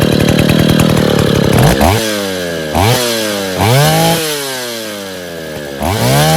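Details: Stihl 070 two-stroke chainsaw after rebuild (axial play removed, new seal; no choke, cover or bar) fires and revs up and down several times, picking up crisply and settling back without stumbling or sputtering: normal running.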